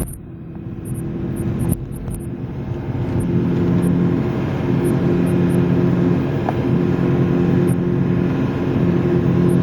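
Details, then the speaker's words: Front-wheel-drive diesel car at road speed: a steady low growling hum from under the car, swelling and easing slightly, louder when turning left; a bad wheel bearing. "every time I turn to the left it's louder so that should give you an idea what a bad wheel bearing sounds like"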